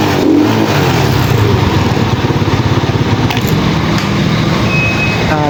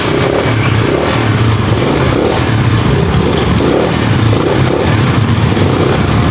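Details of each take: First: Pantra-type single-cylinder motorcycle, formerly very hard starting, after converting to a Lihua 4-pin CDI on a primary-type stator: even, steady low thump with no misses or stumbles; runs smoothly and now starts easily. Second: Motorcycle with primary-type stator, before converting to 4-pin Lihua CDI; repeated cranking bursts, engine coughing but never settling into a run; owner suspects burnt primary coil, not yet tested. Hard starting.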